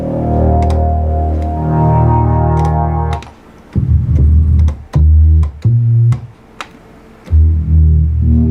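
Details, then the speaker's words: Memorymoog Plus synthesizer after servicing, including replaced bad CEM3310s on voices 2 and 5: clean sustained notes with smooth glides, no crackle, dropouts or stuck voices; presets working. "We'll put some glide on that too. As you can hear, it's working great. Now there is no problems."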